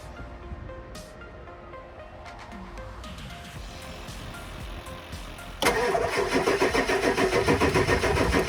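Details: 2000 Ford Excursion 7.3 Powerstroke, crank-no-start caused by PATS anti-theft, first start after reinstalling original PCM with PATS deleted: several seconds cranking, then catches and settles into steady even diesel idle; normal start.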